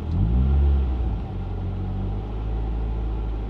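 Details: Mark 6 Fiesta ST after fitting a new intake pipe with crankcase breather line, throttle body already cleaned: quick blip, revs drop slowly and hang high before settling to idle; owner says it seems worse, cause unconfirmed.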